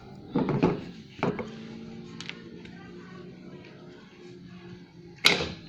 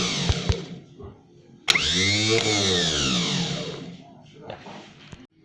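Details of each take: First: Daihatsu Classy G102 starter motor bench test with the battery feed cable to terminal 30 disconnected: three separate sharp clacks seconds apart, no spinning whir. The solenoid pushes the pinion forward but the motor never turns, as a loose or disconnected feed would cause. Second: Starter motor from a Daihatsu Classy G102, bench-tested by feeding current from the ignition wire to the solenoid; a brief whir climbs, holds about two seconds, winds down smoothly; starter spins freely, normal starter motor spin.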